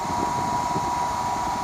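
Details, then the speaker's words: Dyson-style knockoff bladeless fan switched on: smooth airy rush with a faint constant high-pitched motor tone, no rattle or grinding; normal fan running. "so the first thing that you can see this is a fan but there is no blade and I can turn it on"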